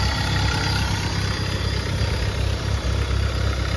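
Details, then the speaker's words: Nissan Sentra B14 petrol, sat stuck a month, after repair of fuel-flooded cylinders, worn injectors and fuel regulator: steady idle with faint whir and rattle over engine rhythm; belt tensioner slightly noisy, seemingly only now. "Ayun oh, 1 buwan daw to eh, may get. Naka-stuck. Medyo maingay lang yung tensioner."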